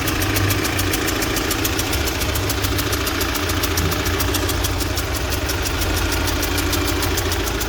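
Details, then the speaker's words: UMZ-4216 (Evotech 2.7), 129,000 km, idle listened near cylinder 1: sharp fast ticking and dull knock, engine misfiring and popping into intake; suspected cylinder 1 intake valve seat, knock fading when oil is added to the cylinder. "Так вот стучит."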